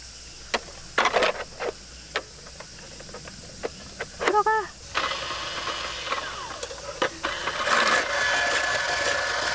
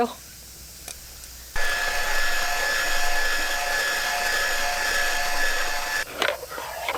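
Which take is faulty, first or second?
first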